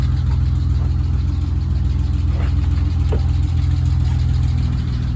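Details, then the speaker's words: BMW E30 idling after retensioning a loose alternator belt that had caused loud squealing. A steady, even low idle with no squeal or chirp; the belt now runs quietly. "Donc là ça fait un bruit ça fait un bruit de BM. C'est beaucoup mieux comme ça. Ça fait pas un bruit de couinement immonde là comme c'était avant."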